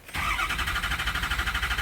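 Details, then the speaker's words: 2007 F-250 6.0 Powerstroke, stock, crank no start when hot but starts cold: steady fast cranking never catches; ICP desired 652 psi but only just over 300, IPR at 84%; failed standpipe/dummy plug. "So we're at 84, that's too much. It's asking for 652, but we're only building just over 300 PSI."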